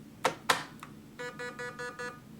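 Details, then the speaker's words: MCX airsoft blaster with battery connected, trigger pulled: two sharp clicks as the motor tries to spin and locks, then five even electronic beeps, an error code; something locking suspected, cause unconfirmed. "okay so it sounds like it tries to spin something locks and then it beeps five times"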